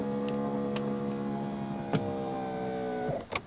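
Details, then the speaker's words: 1991 Mercedes-Benz 420 SEL passenger-side rear power window: motor whines steadily about three seconds with a click at the end when lowering, but the glass doesn't move. "it sounds like I write a regular power window motor when it goes down of course glass doesn't move anywhere"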